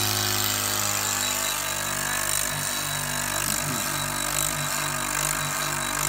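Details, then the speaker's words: Clad Boy CB4 modular vacuum lifter for composite cladding panels, just switched on: steady vacuum pump drone with a continuous high warning buzzer on top, normal startup sound. "Okay, so when I switch the machine on, you could hear the vacuum pumps running, and you could hear the warning buzzer as well."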